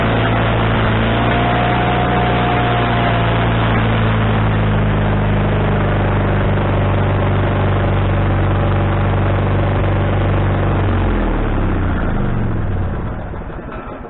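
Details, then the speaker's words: Wood-Mizer LT40HD sawmill engine with a newly installed replacement carburetor: runs steady and fast for about ten seconds without dropping to a low idle, then winds down at shutdown. The owner suspects the governor linkage was hooked up wrong, causing the high idle. "I'm not concerned with that but the idle adjustment I don't seem to have the proper idle adjustment I don't know why so uh I'm going to change your rankings around here maybe my linkage I hooked it up wrong the last time"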